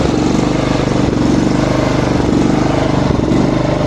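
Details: Small lawn mower engine running with a steady beat but speed that drifts and jumps; surging idle.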